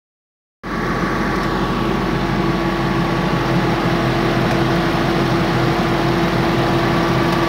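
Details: 2013 Ford Mustang GT V8 running steadily with a light, quick tick, roughly three a second, over the engine note; ticking noise, cause unknown.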